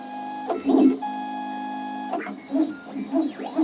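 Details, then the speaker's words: Makerbot Replicator with intermittent carriage fault, printing on blue masking tape, unheated bed: loud tonal buzzing and singing stepper pitches shifting with each move; noise from old drivers without microstepping. "blue blue masking tape and this noise just drive my wife crazy well you guys are wondering where all the noise is from this is before we had microstatic so"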